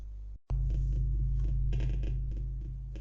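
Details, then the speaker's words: ESP32 sending a sine wave to a Bluetooth speaker at volume 100: harsh low buzz with crackly breakups instead of a clean tone, attributed to Wi-Fi sharing the radio with Bluetooth; Wi-Fi to be switched off. "So now it's buzzing, but as you can hear, it's not really a nice sine wave. And I found out on the internet that it is caused by the fact that the Wi-Fi is using the same radio as the Bluetooth."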